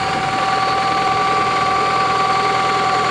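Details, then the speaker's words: 1987 Toyota Camry LE, 4-cylinder automatic, about 200,000 miles, heard under the hood: light, uneven clatter about four ticks a second over a steady whine; owner suspects an air leak, not confirmed. "You can hear the clankiness. Sounds like there's an air leak. But this is what 200,000 miles gets you."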